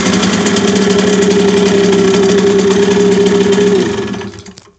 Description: Ich hab eine Simson SR4-2 mit Habicht Motor. Es scheint mir das der Motor beim Gasgeben ein mergwürdiges Geräusch macht?